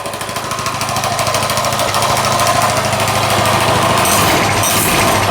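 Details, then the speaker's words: Coleman 196cc mini bike, a repaired customer return with a formerly locked-up motor, started easily fully choked. A rapid, even popping exhaust beat that stays steady and settles, with no misses or knocks; a healthy idle. "Turn the switch on and listen how easy it starts. Sounds really good."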